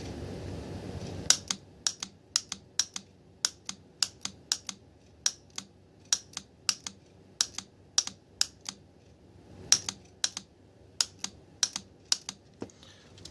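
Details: Mercedes M104 throttle actuator bench test, positive applied to the known-good core unit's clutch coil: crisp sharp clicks in quick irregular bursts in a quiet room; coil pulls in properly, unlike customer unit's bad coil.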